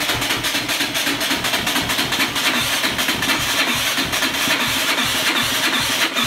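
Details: 2003 Yamaha Raptor 660 with new gas, cleaned carb and tank, valve adjustment, new plug boot and coil, good stator, spark, strong fuel from plug hole: fast steady starter churning about four beats a second, engine never catches; cranks but won't start.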